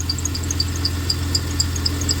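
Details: 1993 Dodge Caravan at idle, before belt work: a steady hum with quick high chirps about four times a second from the accessory belt, which rides oddly on the tensioner. Owner suspects the tensioner; the belt, tensioner and idler were then replaced.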